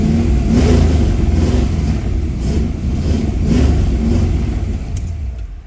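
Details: 1972 Mustang barn find with Holley Sniper fuel injection, first start in four or five years; engine blips up and settles back cleanly several times, revs rising and falling evenly with no knock or stumble; normal revving.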